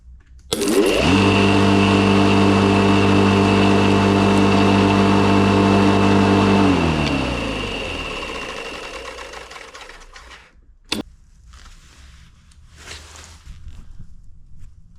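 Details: Electric lawn mower: motor spins up, holds a steady even hum, then coasts down quietly after switch-off, normal running.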